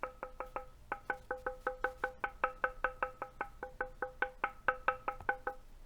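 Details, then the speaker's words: NovelKeys NK87 aluminum sandwich-mount keyboard: short dull knocks on the case with no lingering ping once the white damping material is fitted; ping gone at top and bottom of case. "in all that ping just instantly goes away and the same thing happens for the top of the keyboard as well"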